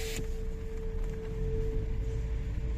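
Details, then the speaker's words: Lada Vesta rolling slowly, front brake discs rusted after only 6 hours parked: steady mid-pitched hum and ringing over road rumble until the brakes are applied a couple of times. "как они гудят звенят просто это изза того что они заржавели всего лишь за 6 часов и вот пока не тормозишь все пару раз они так и гудят"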